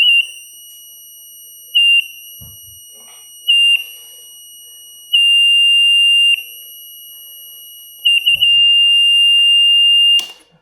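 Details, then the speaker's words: Philips Respironics EverFlow 5 L oxygen concentrator, disconnected from power and opened up: piercing high alarm tone nonstop, swelling louder every couple of seconds from its internal speaker; power-failure alarm. "esto lleva un rato desconectado y ahora si lo enciendo sigue pitando. O sea, es muy molesto, muy muy molesto."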